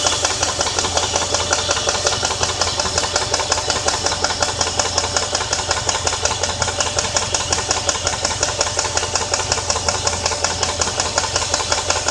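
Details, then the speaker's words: 2001 Jeep Grand Cherokee 4.7 V8 that died at a red light and now restarts: steady, sharp tick about three times a second over the idle; owner unsure whether lifter, flywheel, timing chain or rod knock; engine ticking. "I need help to know if this is a redneck lifter or a flywheel or a timing chain"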